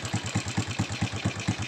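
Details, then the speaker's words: Honda Supra X125 with a loud ticking complaint, at idle right after the vibrating cam chain tensioner screw was turned left with a small flat screwdriver: even, steady thumping, engine instantly smooth, though the ticking returned after settling, suggesting internal tensioner damage. "ya suara mesin langsung halus ya suara mesin langsung halus"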